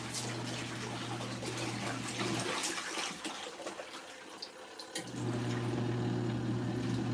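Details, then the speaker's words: LG ThinQ MEGA Ultimate washer on the Deep Wash cycle with default settings: heavy splashing over a low pump hum, briefly dropping then resuming, as water exits the drain hose. Normal drain operation. "We're getting tons of splashy. Tons of splashy. You could hear it coming out of that drain hose."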